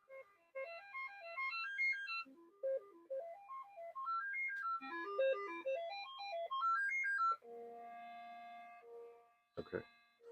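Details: Commodore 64 SID chip tested with a diagnostic cartridge: clean stepped synth notes climb and fall, then steady held tones, with no crackle or dropouts; SID plays its test tune correctly.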